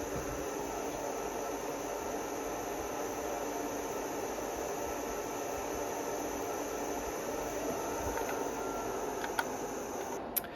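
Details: Blaupunkt air cooler running, heard from a couple of feet from the camera and farther: steady, even airy whoosh with no rattles, knocks or pitch changes. The fan runs smoothly and normally.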